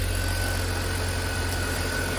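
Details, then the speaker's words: Long-abandoned BMW E46 325i Touring, jump-started on low petrol, first-time start: smooth, even low idle with a steady beat, no knocks or ticks; healthy. "Wow, first time start. Okay, there's not much petrol in it. It sounds so good. I think it's worth saving."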